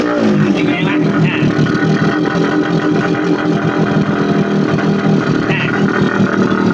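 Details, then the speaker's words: Old Kawasaki GTO two-stroke motorcycle, hard to start and unable to idle, run with choke partly on and throttle held: loud raspy steady drone at high idle, rattling. Muffler baffles suspected gutted. "รถลูกศิษย์ครูเนี่ยมันติดเครื่องคันเดียวเนี่ยอาคารที่ครูสอนหนังสืออยู่เค้าเรียกว่าอาคาร2ดังลั่นทั้งตึกครับ"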